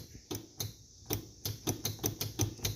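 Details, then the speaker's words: Failed starter on the owner's vehicle, key turned after it went real slow on the last starts and got very hot: quick dry clicks, about three a second, engine never turns over; won't crank anymore, starter coming off. "it just won't crank anymore so is what I'm going to do is push it outside and get the starter off"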